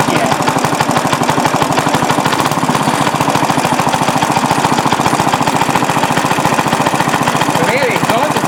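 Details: Restored rare Briggs & Stratton NR6 6:1 gear reduction single-cylinder engine, first run after restoration with a cooling fan blowing: even, steady firing at constant speed, no misses or knocks; runs clean and healthy.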